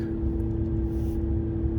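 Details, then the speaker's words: 2016 Ram 1500 3.0 EcoDiesel on test drive after fuel filter housing replacement for P0183, check engine light off; steady drone over low diesel rumble that shouldn't be there, an original symptom; cooling fan running constantly at high speed, cause unconfirmed. "Real hard. Which was a symptom of the initial problem. I'll be quiet and you can hear it, probably. Hear that drone sound? Shouldn't be there."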